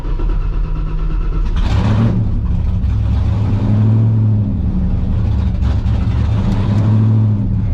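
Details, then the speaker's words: Blown V8 on the dyno during Holley Terminator X EFI tuning: previously stalled no matter what, now holds a rock-solid steady idle and revs cleanly, snappy off idle; tuner wonders if bad injectors were the earlier cause; normal idle and free revving. "Idle's rock solid now. Before it would shut off no matter what you did. Oh yeah. It's also real snappy off idle now."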